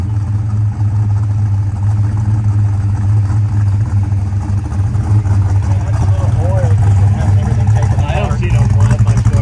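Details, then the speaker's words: 1966 Pontiac GTO after white-smoke diagnosis and engine repair: deep even V8 rumble steady through revs, no misses or knocks; healthy running, slight blue smoke on revving attributed to contamination burning off, not oil burning. "she sounds good well that's a result you can see us when we rubbed it there was a little bit of blue smoke coming out i'm not concerned about that"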